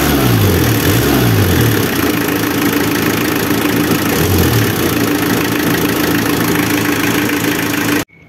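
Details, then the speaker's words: Renault Kangoo F8Q 1.9 diesel with an adapted mechanical Bosch VE pump replacing the Lucas Delphi DPC, recorded at the tailpipe: loud steady clatter with a couple of quick revs, even and strong; runs properly, exhaust smell slightly different from before. "yo encuentro que el motor suena igual prácticamente que con la bomba Lucas original"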